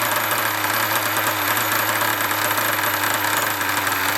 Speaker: Apart from that rattly brake disc. I'll put my finger on the brake disc, you know. There we go, rattle's gone.